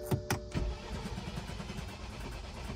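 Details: 2013 BMW 528xi at auction, cranked with a jump pack: a few uneven, heavy cranking thumps, then a dull rumble. It turns over but never starts; owner suspects no compression.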